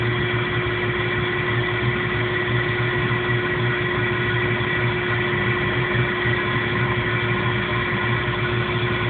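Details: 1997 Jeep Cherokee idling rough, with no codes or engine light: steady hum with a slightly uneven low pulse underneath; cause unknown.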